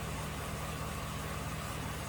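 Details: 2006 GMC Sierra 1500 4x4 5.3 L V8 after head gasket failure with coolant in cylinder 5, bank 2 sensor 1 oxygen sensor replaced and fuel trims reset; steady even idle with smooth low rumble, a rattle noted: normal idle.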